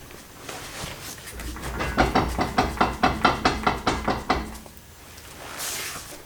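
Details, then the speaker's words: BMW E46 M3 on jack stands, rear wheel rocked by hand with emergency brake on: about ten sharp regular clunks showing play in the driveline; owner suspects wheel bearing or guibo, undiagnosed. "you hear that is that normal there's like a little bit of play"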